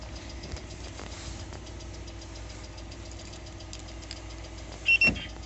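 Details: New 2020 Lada Largus, 3,300 km, faint fairly regular light ticking at idle that comes and goes, cold or warm; knock traced to a factory-defective cylinder head, replaced under warranty.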